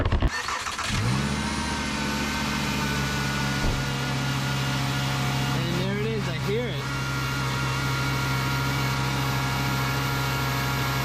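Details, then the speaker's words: VW Jetta with P0491 secondary air insufficient flow code, cold start after engine cooled for hours: under-car secondary air pump whirs steadily like a hair dryer, shut-off valve opens, then pump switches off; after repair the system works. "it I definitely hear it pumping that's awesome yep that's the valve opening and it just shut off sweet so that works"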